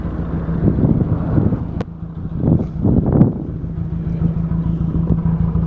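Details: 2003 VW Jetta 1.8 turbo, 174,821 miles, codes P0341 camshaft position sensor and P0011 camshaft angle: idle rumble swells and sags unevenly about every second, engine shaking; owner suspects cam position sensor, unconfirmed.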